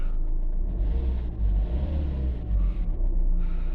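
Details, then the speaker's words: 2012 Fiat Doblo 1.3 JTD diesel restarted a couple of minutes after a 15-minute forced DPF regeneration, with new glow plugs and starter motor fitted. Low rumble settling into a steady idle, slight swells, no misfire, knock or hunting: normal start and idle. "It's been a couple of minutes since I turned it off. Let's start it again. Ignition key. Perfect."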